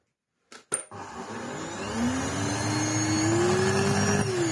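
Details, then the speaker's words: Samsung SC8442 bagless cylinder vacuum, reportedly picked up a lot of filings before starting to sound like this, with a smell: after switch-on, a harsh whine climbs in pitch over rough grating; abnormal motor noise, cause unclear. "Guy said he picked up a mess of filings, and then not long after that it started to sound like this, and oh yeah, there is the smell."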